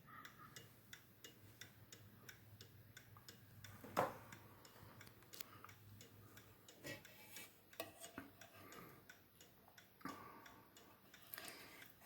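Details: October 1950 Seth Thomas Northbury 1W mahogany mantel clock, No. 124 movement, once not running and now in good shape: light, crisp ticks at an even beat, several per second, in a quiet room; a healthy, evenly running movement.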